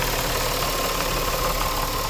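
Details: 2000 Nissan Maxima, 203,000 miles, warm idle with rough gritty knocking grind at steady rate, only after warming up; no check engine lights, new alternator, AC works; owner suspects timing chain or a pulley, cause unconfirmed.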